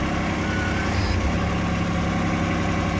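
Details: 2025R tractor idling after its broken H130 loader hose to the loader cylinder was replaced: even, low, smooth diesel rumble with no misses or knocks; it runs normally.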